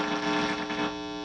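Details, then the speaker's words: 1986 Marshall Lead 100 Mosfet guitar amp on the bench during restoration, with dirty pots: steady fixed-pitch low electrical buzz like mains hum; later fixed, cause not stated. "Alright, so we got the buzz knocked out."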